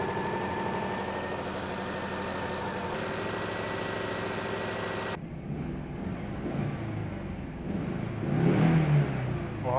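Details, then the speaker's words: Citroën GSA after months of troubleshooting and engine adjustments: steady, even idle with a smooth unbroken hum and no knocks or misses; runs perfectly after the fault was found. "Elle marche trop bien. Elle marche trop bien. Elle marche à la perfection cette voiture."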